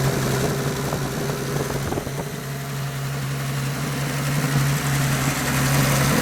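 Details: Turbocharged 250 six after rebuilding its turbo with a budget eBay kit, first run: low steady hum, idle wanders slightly then settles into an even, smooth run; owner notes idle had been very unstable, now much better.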